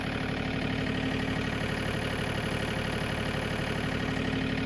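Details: John Deere 3033R diesel tractor after water in the fuel was cleared by flushing the spin-on filter: an even, regular beat with no misses or knocks; a normal idle, running cleanly again.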